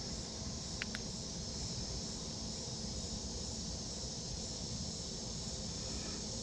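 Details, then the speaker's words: Planar 44D diesel heater mounted in a sound-insulated Alubox for portable tent camping, running on its lowest setting: quiet, even whir with a soft fan hiss and no surging or ticking; running normally. "so i don't know if you can hear that now that's what it's like on its lowest setting"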